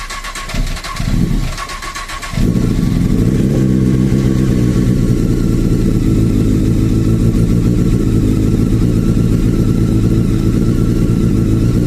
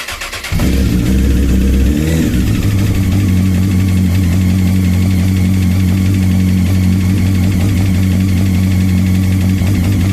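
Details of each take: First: Honda CBR 954 RR, a model known for factory piston slap, which is fixed by fitting CBR 1000 RR pistons and rings: the engine fires after a brief quiet moment and settles into a steady, even idle with no knocking. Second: Honda CBR 954 RR motorcycle starts and idles with a dull, rapid rapping: factory piston slap where short piston skirts hit cylinder walls; fix is 2003–2007 CBR 1000 RR pistons and rings.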